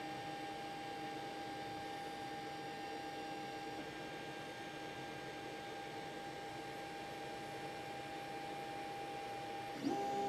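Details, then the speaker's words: 3D printer moving at about 40 on X and Y before installing stepper motor dampers: steady mid-pitched whine over soft hiss, even and unchanging; normal undamped stepper motor noise. "so as you can see as we bounce up in decibels we're only going at about 40 on the X&Y what I talk of course gets much louder"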